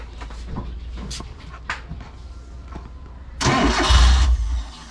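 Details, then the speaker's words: Mitsubishi 4G93 engine that will not keep running, owner reports a low idle: the starter cranks, it catches with a short rev on the throttle, then sags and dies once the throttle is released, unable to hold an idle. "Gas mo, gas. Bitawan mong gas. Ano, mamatay no? Walang minor."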